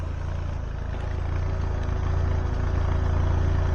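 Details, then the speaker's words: Citroen BX 16V, warmed up after fixing over-fueling: smooth, even low idle with a steady beat and no misses or knocks, running like a sewing machine; clean running. "Right. Well, some time has passed and she is running like a sewing machine."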